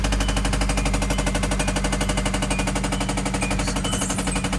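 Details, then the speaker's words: Hyundai restarted after being bought back, with dirty oil and more oil just added: a fast, steady ticking knock of about four per second over an even idle. The knock persists and its cause is unknown. "We can try to crank this thing back up. Pretty sure we'll still get that knock."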